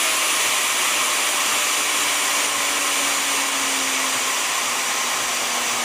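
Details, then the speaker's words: Vevor model 5120 plunge router with 3¼ hp motor, unloaded, run at different speeds; smooth, high, steady whine shifting pitch with speed, no rubbing or rattle, normal running (a noise that sounded like rubbing on a screw's threads was heard earlier). "Maybe different speeds, you can hear the difference. This is a 3¼ horse motor."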